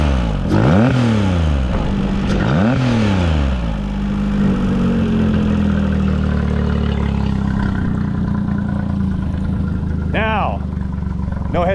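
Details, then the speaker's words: Mercury 40–60 HP FourStroke EFI outboard after throttle body replacement for high idle and stalling: two quick blips climb cleanly and drop straight back to steady idle, IAC chirping, no stumble or hesitation; normal rev response. "It drops right back down to idle and chirps away just like it's supposed to."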